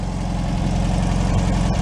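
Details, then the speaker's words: 1965 VW Beetle air-cooled flat-four after complete rebuild, out on a drive: low even idle putter, steady beat, no knocks or misses; normal idle, owner says running perfect with no leaks. "tell you she is running perfect perfect no leaks"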